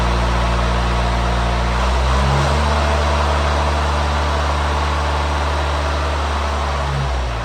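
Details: Swinger 3000 diesel after exhaust manifold and muffler repair: steady, low idle with even beat and a small rev change near two seconds; exhaust tight and quiet, much different from before, vibration reduced. Normal idle.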